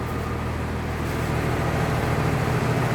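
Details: 1996 Blue Bird bus diesel started cold after glow plugs, interior stripped: deep low rumble at idle with a slightly uneven, shaky pulse; typical cold diesel idle expected to shake less once warm.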